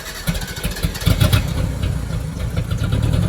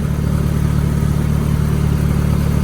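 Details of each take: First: 1990 Mitsubishi Mighty Max, after Seafoam on old plugs, new fuel filter, primed three times: engine catches and settles into a fast idle with an uneven, stumbling beat, still missing on a cylinder but much smoother and little smoke; misfire traced to a bad spark plug. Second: 1990 Mitsubishi Mighty Max after spark plug replacement: smooth, even idle with steady low hum, no misfire or ticking, running on all four cylinders; the miss was a bad plug, not the suspected burnt valve; normal idle.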